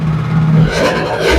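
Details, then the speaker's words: Vespa LX 50cc two-stroke engine, cold, just after full overhaul and reinstall: started right away, crisp even idle with a small throttle blip, earlier odd rattling gone, no knock; healthy. "Sehr schön. gleich angegangen. Läuft richtig schön. Jetzt gerade noch in der Kaltphase."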